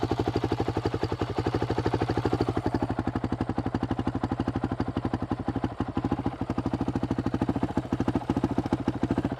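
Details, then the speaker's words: Honda CRF450RL on an Athena GET ECU, TPS checked: slow single-cylinder idle with loping, uneven beats and an occasional stumble, idling lower than it should and won't smooth out. "The other thing with the GET, for some reason, I can't smooth my idle out. You can hear it. It's idling a little lower than it should"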